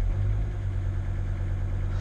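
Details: T1N Mercedes Sprinter diesel, just started after sitting over a year: smooth, even low idle purring steadily with no odd knocks or ticks; healthy engine.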